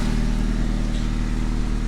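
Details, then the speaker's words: 1995 Honda Civic after welding a broken exhaust hook that had caused an exhaust leak: steady, even idle with smooth exhaust note, normal Honda sound. "pretty much sounds like a honda should"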